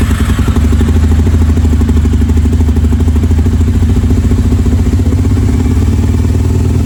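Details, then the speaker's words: Harley V-Rod first start in at least four years, new battery, fresh fuel: steady rapid starter chugging for seconds with no catch; owner suspects plugs wet and fouled from penetrating lubricant squirted into cylinders; long crank, no start. "I went kind of heavy with it, with a penetrating lubricant, so I'm sure those plugs are wet. When I pulled out the old plugs, they were wet still from it, so that's going to foul them up a little bit."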